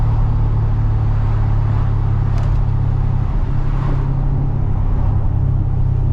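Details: GTO after replacing the differential bushing/mount, cruising and lifting off throttle. Smooth low drone with no clunk or metal-on-metal bang like before; driveline sounds healthy, shifts smooth.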